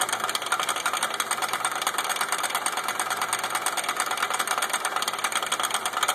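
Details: Suzuki with a separated front driveshaft CV joint; customer reported a slight clicking noise. Light, fairly regular clicking about three per second over a quietly running vehicle, from the broken CV joint.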